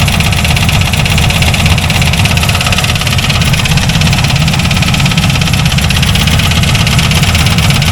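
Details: C4 Corvette V8: a rough idle with a hard rattling knock on every turn. The owner checked the rockers and found them fine, and can't tell whether the noise is in the engine or the transmission. Connecting rod knock suspected.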